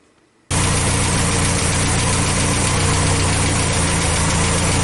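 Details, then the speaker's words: Carbureted International Scout 80, warmed up, oil bath air cleaner and choke not yet fitted: loud, fast idle that never settles, with an uneven lumpy beat; won't idle down low enough, owner suspects current carburetor setting. "it still couldn't idle all down low enough I think it's how I have it set right now"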